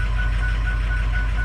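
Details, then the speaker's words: Cold start of 116,000-mile Harley truck diesel: heavy low rumble with sharp tick about every 0.4 s, uneven lumpy rough idle; scan tool shows cylinder six low, injectors on cylinders three and six suspected. "kind of looks like injector hell here oh number six drop you see that right here right there number six number six is [Music] low"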